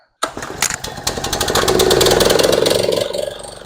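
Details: DR two-wheeled string trimmer by Country Home Products, bought at auction as a no-start, after carburetor service and draining overfilled, water-contaminated oil: fires right up and settles into a steady, even buzz with no stumbling; running properly.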